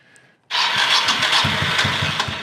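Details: 1985 Honda VT1100 Shadow with sidecar, neglected and reportedly swamped by hurricane water, cranked with enricher on: the starter churns at about six or seven even pulses a second but it never catches, so the carbs are to be pulled.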